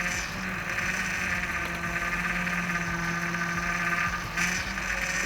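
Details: 2005 Acura MDX with a whining power steering pump, after one bottle of fluid was added: a steady whir holds over the running engine without changing pitch. The whine persists, and the owner suspects the pump itself.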